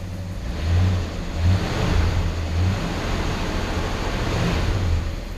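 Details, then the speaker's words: 1966 Ford Galaxie 500 V8 after Pertronix electronic ignition replaced arcing points and high idle, curb idle and dashpot gap were set: clean light revs with no stumble. It previously ran badly around 1500 rpm; now smooth. "now when you give it the gas a little bit of gas it's as smooth as can be the poor owed kind of run really rough so I'm really happy I set the idle"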